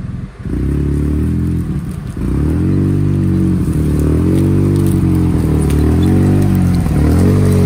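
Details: Polaris RZR just after a head gasket replacement, first start-up: the engine pulses along, then sags and nearly dies as throttle opens before picking back up. Owner suspects the mass airflow sensor, throttle position sensor less likely.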